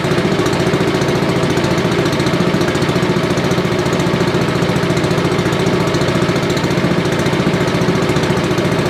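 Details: Billy Goat leaf blower, Briggs & Stratton 9.5 hp single found headed to scrap, sooty plug, low compression, slightly choked: fast even running with constant throbbing beat, no stumbles, running well.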